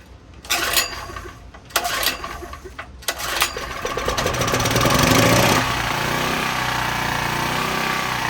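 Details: Cheaply bought unknown small generator with a slightly leaking carburetor, possibly running on old gas: engine pops and bursts unevenly, then runs rough with a wavering note as the governor hunts; surging because it struggles to draw in fuel.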